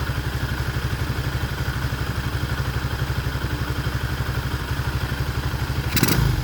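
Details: Motoland 166FMM (165FMM) 250cc single-cylinder engine, first start after repair: steady, even idle about four firing pulses a second, clean low thump, no knocks; runs healthy.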